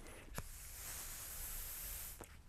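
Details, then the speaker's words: BMW E90 N54 PCV check valve being blown through in the blocked direction: steady hiss of air lasting about a second and a half, valve not sealing. "but you can hear it's open so if I blow this way there actually is air getting through not a lot not a whole ton"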